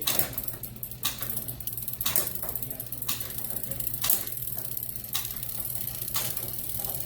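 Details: Mountain bike with newly installed SRAM GX Eagle drivetrain running a Sunrace 51-tooth cassette: crisp single clicks about once a second as each gear engages, no grinding or chain skip; shifting nice and smooth.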